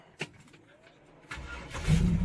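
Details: 1966 Chevelle Malibu 327 small-block V8, TH350, long-tube headers, dual Magnaflow exhaust, long unused; starter swapped after gear-grinding trouble: quiet pause, then a smooth crank catching into a low V8 rumble with no grinding. Starter engages cleanly.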